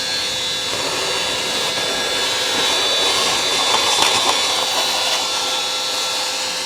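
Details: Worn wet-vac motor mopping up spilled workshop coolant gives a loud, high, airy howl with a thin whistle, steady under suction; it sounds strained but keeps running, slow but working.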